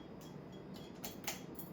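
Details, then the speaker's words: Restored unbranded GE ceiling fan with light kit: quiet hum with light, irregular metallic clinks about every half second as the pull chain strikes the light kit; fixable by hooking the chain aside. "the clinking is annoying but I think I like the clinking cuz my grandmother's fan which is extremely similar to this one also did that"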